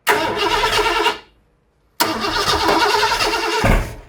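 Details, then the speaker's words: Ford 460 big-block V8 after camshaft install, first fire-up: two rough start attempts catching unevenly with sharp pops, backfire and a heavy thump; ignition timing one distributor tooth out. "that was a lot of backfire I believe what happened is I'm one Toth out"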